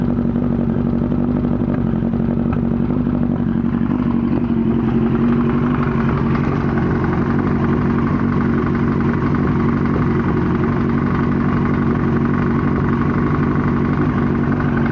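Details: 1998 Yamaha R1 after an accident: loose uneven clattering knock over the idle, louder from the engine's right side, with exhaust backfire; source unknown, owner suspects cam chain tensioner, clutch basket or valves.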